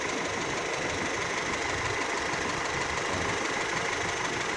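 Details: Older car warming up in neutral: a smooth, steady idle with an even ticking beat and no irregular knocks. Engine sounds fine.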